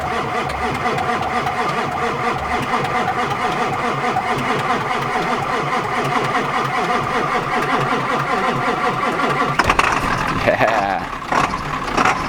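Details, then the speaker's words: Old truck with one of two batteries newly replaced; starter churns nearly ten seconds before catching and running; owner notes spraying it makes it start right away and worries about starter wear. Long cranking before start. "that's not going to be good for the starter i know from experience if i uh if i spray it it starts right away so i'll probably have to get back to doing that so i don't have to replace the starter"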